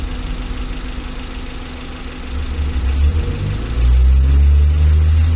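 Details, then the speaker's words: 2012 Suzuki Carry 1.5 injection after repair of an overheating fault with a corroded engine block, warm after about an hour running: even idle, then a smooth rise in engine speed. Temperature gauge normal; no overheating. "dan mesinnya ini halus dan mesin ini Sudah sembuh teman-teman Sudah tidak mengalami overheat dan airnya itu sudah tidak meloncat lagi sudah tidak menyembur ke atas"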